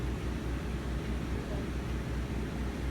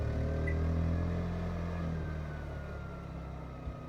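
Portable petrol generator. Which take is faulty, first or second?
second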